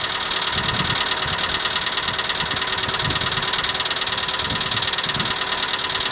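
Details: Skoda Fabia at cold morning idle: fast, even tick about twice a second over steady idle; owner suspects hydraulic lifters, but dealer replaced all 16 in three visits and the noise persists; cause unconfirmed.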